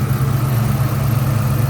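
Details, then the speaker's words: 2004 Mustang Mach 1 V8 idling while warming from cold, with a stored code: lumpy, uneven pulse with slight shake, no clear ticking; rough idle, owner suspects exhaust and/or vacuum leak, possibly a bad O2 sensor. "I'm under the impression it may have an exhaust leak. and or a vacuum leak"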